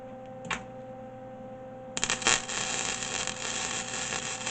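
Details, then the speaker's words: MIG welder at wire speed setting 3: a dry, uneven crackle of spits and pops instead of a smooth sizzle; weld spattering heavily, setting 2 later runs smooth. "I'm that it's spitting too much I'm gonna crack I'm cranked up on three yeah threes not too bad"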